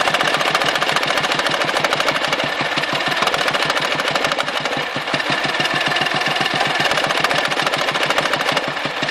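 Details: Dnepr motorcycle engine running with sharp, rapid, regular knocks. The knock is intermittent; with it, power drops and fuel spits from the carburetor, and without it the engine runs evenly. It stops before stalling or at high rpm. Cause unclear.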